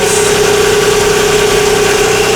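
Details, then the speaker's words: 2007 Nissan Quest idling during a charging system test: a steady mid-pitched moan over the engine from a failing alternator, with the small-gauge wire reading 12.3 V. "This will be getting an alternator. That thing's humming, too. Do you hear the moan of that? That alternator shot."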